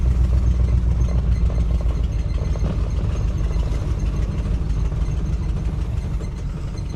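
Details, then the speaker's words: 1964 Mercury Marauder 390 V8 2-barrel, sitting since 1987, revived: deep, loose, lumpy V8 idle that slowly sags, running well but wanting to die at idle. "It's running really good. Uh, it does kind of want to die a little bit."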